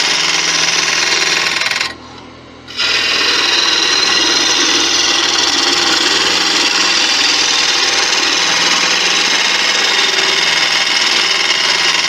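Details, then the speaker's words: Turning Malaysian acacia sapwood on a lathe: a steady scraping cut with faint uneven chatter, about three catches a second. A nail was first suspected, then judged a hard spot in the wood. "yeah it's just something hard in the wood because it's called it's starting up here somewhere that sound"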